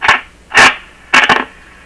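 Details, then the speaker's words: Panasonic R-109 transistor radio, first power-up with volume turned up from fully down: short scratchy crackles in uneven bursts as the knob turns, near silence between; dirty volume control, otherwise radio works. "here we go wow that's a good sign dirty volume control"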